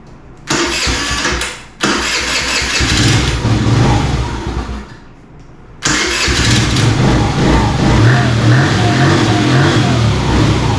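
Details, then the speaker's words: 2017 Kawasaki KFX50 ATV that had not run in years, with airbox refitted: cranks, catches, drops out, restarts and settles into a slightly low, uneven idle; runs well but idle likely needs adjusting up a bit. "together sounds like it may still need a little bit of adjustment on the idle or maybe idle it up just a little bit but other than that it sounds pretty good"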